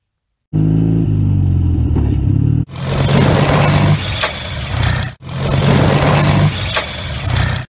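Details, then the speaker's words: 1941 Zundapp KS600 600cc OHV boxer twin, riding: pulls hard and cuts off on each shift about every two and a half seconds; gears bang in because the clutch drags. "okay so we heard how um when you're changing gear there it bangs into gear and you can obviously minimize that by feathering the gearbox if you want to"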